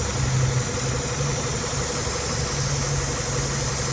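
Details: Idling petrol engine with check engine light showing lean: steady airy hiss from a vacuum leak, found by pinching off hoses; hiss goes away when the leaking vacuum line connection is pinched.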